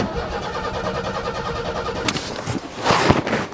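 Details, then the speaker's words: Car unstarted since April, cold snowy December start; starter spins the engine steadily but it never catches because the coil wire was left disconnected; crank no-start. "Oh, put the coil wire back on, I forgot. Take two, put the coil wire back on."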